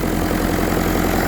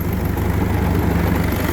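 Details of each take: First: Willys Jeep with Kubota V2203 diesel swap, idling at about 1100–1200 rpm: steady, even clatter with no misses or shaking. Normal idle. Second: Willys Jeep with Kubota V2203 diesel swap, about 4,000 miles: deep, lumpy idle lowered to about 730 rpm from around 1,100–1,300, with a constant shudder; hood and body vibrate heavily and a rattle comes and goes.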